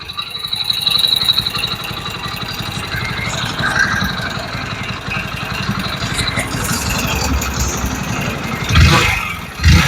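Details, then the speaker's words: Hero Splendor BS6 motorcycle with 35,000 km, used for hotel deliveries. Idles with a heavy, rapid knock that gets louder on throttle blips. Crankshaft knocking; the engine has failed. "तो गाड़ी कुल 35000 kilometre चली हुई है और इस गाड़ी के इंजन में से क्रैंक की आवाज आने लगी है"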